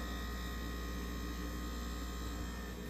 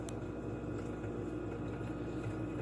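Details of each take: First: Frigidaire refrigerator just plugged back in after unplugging: compressor turning on with a steady low hum, no knocking, rattling or clicking; normal compressor running. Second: Frigidaire fridge after unplug and replug, freezer door open: steady compressor hum with crackling as the evaporator coil starts freezing, and no evaporator fan whoosh, isolating the fault to the evaporator fan motor.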